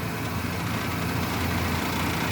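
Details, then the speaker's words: Truck at idle with cheap solid engine mounts, not broken but too hard: deep buzzy drone with rattly edge, grille and interior rattling, worse at 2000 rpm; not a misfire, mounts fail to dampen engine vibration. "this is an example with the old mounts they're not broken they're just too hard that's what it sounds like"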